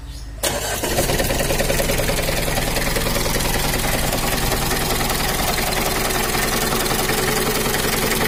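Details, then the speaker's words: Mitsubishi Kuda 4D56 diesel idling roughly, limping, low power, bad oil leak: loud uneven tek-tek clatter, heard at small throttle; mechanic suspects valve clearances mis-set by previous mechanic. Cause suspected, not confirmed. "ini suaranya itu semacam ada yang tabrakan bunyi Adek etek etek tapi kalau ditampilkan sedikit bunyi tapi kalau gak besar beli enggak bunyi dan juga untuk suaranya itu ada kemrecek nya grabnya kayaknya ini setelan klep nya ada yang ukuran 50/60"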